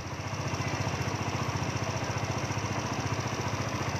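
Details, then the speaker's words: Yamaha Nouvo scooter, after the idle (ISC) valve fix, restarted with the key and left idling: a steady, even putter of about 220 beats a minute, no misses or surges. The engine sounds good, a clean normal idle. "Rồi nếu Ok chúng ta để cho nổ máy luôn về chưa để cho nó máy này ngon đấy"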